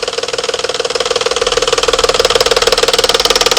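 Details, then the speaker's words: 2011-2012 Dodge Charger 3.6 with check-engine and traction control lights, cam sensor reportedly already replaced: sharp, rapid, regular tapping up top, typical at cold start, not valve train. It suddenly stops; suspected cam phaser spring mechanism knock. "see how it just stopped all of a sudden it just stopped because the cam phaser the spring mechanism inside the phaser likely caught up with itself"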